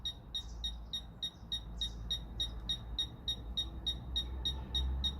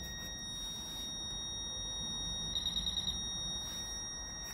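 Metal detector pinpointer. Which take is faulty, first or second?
second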